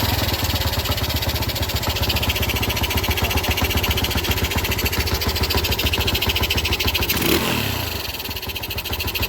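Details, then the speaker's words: Yamaha Jupiter Z manual-clutch motorcycle idling with rough rapid knocking rattle from clutch area, disappearing when clutch lever pulled; worn, loose clutch housing suspected. "kebanyakan itu di bagian rumah kopling yang mengalami oblak"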